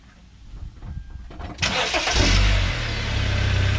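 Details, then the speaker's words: Car after refitting loose catalytic converter flange with bolts: cranks, catches and settles to even idle with no exhaust puffing or ticking; exhaust leak fixed, quieter. "quieter okay all right that solves that problem"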